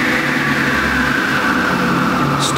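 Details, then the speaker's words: Delta Unisaw repulsion-induction bullet motor after brush ring adjustment and tightening the shorting necklace spring: steady, even hum with a clean high whine, quicker startup with no labouring; runs smoothly. "time is much quicker it's not struggling there at the beginning with the magnetic fields and that shorting necklace"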